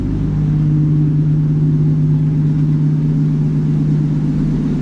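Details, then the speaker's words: 1951 Chevy pickup, 6-volt points and condenser, revived after 40 years abandoned, running off a nearly empty fuel cell; a low, steady, even idle with a smooth rhythm, no misses or knocks, and little smoke. "Awesome. Man, it sounds good, dude."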